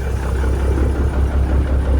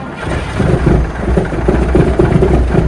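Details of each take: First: Peterbilt 359 with an old Cat diesel, throttled up during warm-up after a rough cold start following 3 weeks outside: deep, even rumble at raised revs with no knocks or misses. Good oil pressure; sounds healthy. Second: Peterbilt 359 with an old Cat diesel, cold start after sitting outside about 3 weeks: fires and runs lumpy and uneven, then gradually steadies and clears up. Good oil pressure; cause of the rough start is not pinned down.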